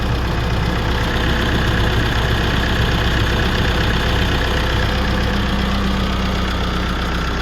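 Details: 2016 GMC Canyon 2.8L diesel, high mileage, just after timing belt, water pump and tensioner replacement: steady even diesel clatter at idle, no knocks, squeals or belt slap; sounds healthy.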